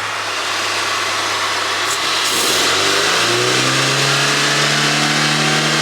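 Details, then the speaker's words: 1993 Rover 220 coupe, T-series engine, after head gasket and timing belt change, previously parked after heavy smoke: revs climb cleanly from smooth idle with even note, no knock, tick or misfire; running nicely, road test still pending. Normal revving. "well that is running nicely I'm I'm actually pretty happy with that"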